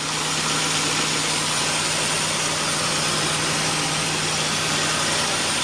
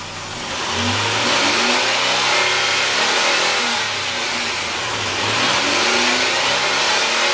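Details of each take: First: 2004 Nissan Xterra, naturally aspirated, idling just after installing a Volant cold air intake: steady idle under a loud constant airy hiss from the intake side, new to the owner; cause unclear. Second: 2004 Nissan Xterra, naturally aspirated, with a newly installed Volant cold air intake: engine revs up and down twice with a loud intake roar and hiss; runs strong and even, nothing amiss.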